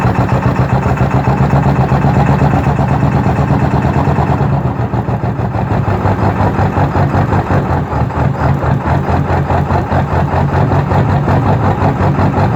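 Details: 2002 Ford F-350 Super Duty 7.3 diesel, cold morning start after glow cycles: loud diesel clatter with an uneven, lumpy beat and a sag after a few seconds; hard cold start and rough idle from a failed glow plug relay.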